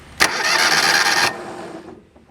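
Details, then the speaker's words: John Deere 320 with Kawasaki engine, fuel line off at the pump, no fuel spraying out while cranking. Brief, quick, light cranking whir with no compression strokes; it spins too freely and won't start. Stripped cam gear or plunger rod suspected, unconfirmed. "as there is not and also you guys notice how it turns kind of fast like it cranks over like it's not getting any gas as my first suspicion"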